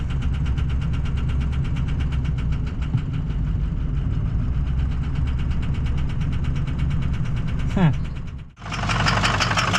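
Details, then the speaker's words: Powerstroke diesel just reassembled, about 26 to 30 below zero: boost comes up, then sharp rapid metallic knocking over the idle until it dies; serious abnormal internal knock, cause undetermined. "oh we got boost when we should have Boost oh uhoh something doesn't sound good whatever that is is not good"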